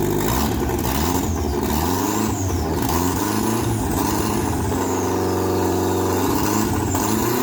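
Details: Mk2 Golf 20-valve turbo build, first start on temporary battery wiring, no coolant or exhaust yet: engine catches on first turn and settles to fairly steady idle with some wandering revs and workshop noise; healthy start.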